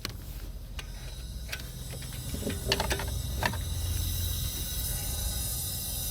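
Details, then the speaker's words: LPG taxi that stalled while driving, no fault codes, rail pressure dropping at once after shutoff: key clicks, then a steady high gas hiss builds with the engine off, with strong gas smell; LPG leaking through faulty injectors. "There's a lot of noise. There's a lot of smell, too. There's a lot of gas"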